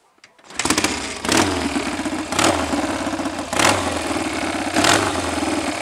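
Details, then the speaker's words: BSA A65 Hornet twin after advancing the ignition timing a couple of degrees: ticks over slowly and steadier than before, but revs swell and sag about every 1.25 seconds. Mild hunting idle remains. "Still got a tendency to hunt a little, but I've been able to set the tick over much slower, and it is much steadier, and dare I say more reliable than it was before. Wanders up and down a little by itself, not as much as it did."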